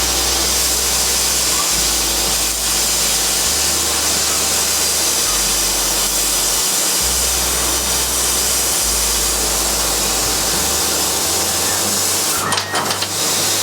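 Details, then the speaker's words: Hand-built laser cutter and engraver cutting a small wood part: loud steady hiss of the air assist blowing over the cut, which cuts better with air on, with stepping motor hums underneath; normal operation. "the hessian you can hear is air assist while it's cutting the air has to be blowing it cuts a lot better when the air assist is on that's that hissing noise you can hear"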